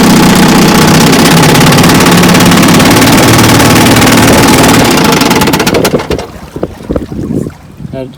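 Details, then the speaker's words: 1954 Johnson QD-15 10 HP two-stroke outboard after full restoration, running on the water: fast steady buzz that sags and stumbles after five seconds as the carburetor needle valve vibrates loose because its lock nut is not tight enough. "That rattling and the vibration of motors moving this needle valve, so the lock nut behind there is not tighten enough."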